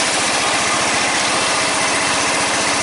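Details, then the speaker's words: Red lawn tractor, 14.5 Briggs & Stratton, after fuel line replacement, running with air breather on: steady quick idle beat with hissy intake note, firing evenly without stumbling; repaired and running normally. "Looks like that was the problem. So red tractor's back up and going again."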